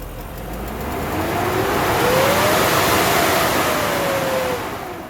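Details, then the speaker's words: BMW M60/M62 V8, cold engine: loud airy turbine-like roar swelling with each rev and fading, from the faulty viscous fan clutch that stays engaged cold and spins the fan fast even at idle; replaced. "So every time you rev the engine, you're going to hear loud noise like from a turbine or something."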